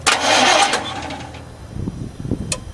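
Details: Chevy truck with gasoline 350 V8 mistakenly filled with diesel, tank drained and refilled with gas, main feed line at throttle body loosened to bleed: loud burst then slow uneven cranking that never catches; no start.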